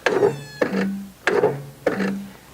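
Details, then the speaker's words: Yardpro ride-on mower with a brand-new, fully charged battery: four dull starter clunks about 0.6 s apart with no crank, because the engine is stuck on compression in a position the starter cannot turn. "What happens with some of these mowers is the engine just gets into a certain position where the starter? Just can't quite turn it"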